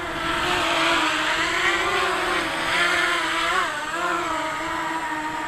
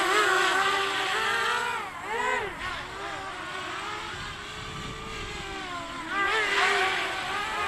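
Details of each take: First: Quadcopter in hover: steady, even motor whine holding pitch with only gentle wavers; no wobbling, motors smooth and balanced. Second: Quadcopter on its maiden flight with a 3-cell 1000 mAh battery: motor whine swings up and down in pitch instead of holding steady; wobbly oscillation, needs tuning, okay in a hover.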